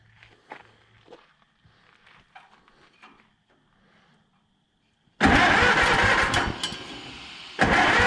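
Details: Auction-bought Allis-Chalmers WD-45 gas-engine tractor at night: quiet handling noises, then the engine fires, briefly dips and picks up into an even running note. Normal start and idle.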